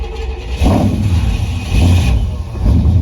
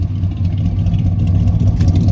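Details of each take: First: 1972 Chevy C10 with 350 V8 and 3-speed automatic, first run in years: engine catches in uneven surging bursts about every second and can't settle; no fuel delivered from the tank, suspected clogged fuel line, since it ran fine on an auxiliary tank. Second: 1972 Chevy C10 with a 350 engine, running for the first time in years after fueling, revved through its dual exhaust: a deep, even V8 rumble with no knocks, misses or rattles; a little smoke, possibly slightly sticky rings, not too bad.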